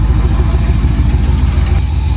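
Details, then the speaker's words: 1999 Chevy Tahoe, LS engine, Holley Terminator X Max, with tuning issues, started on the second try after sitting a few days: thin steady high whistle over a lumpy rumbling idle, air whistling past the throttle blade/idle air valve. "yeah usually the second time but hear that whistle that is what we're gonna try to get rid of today"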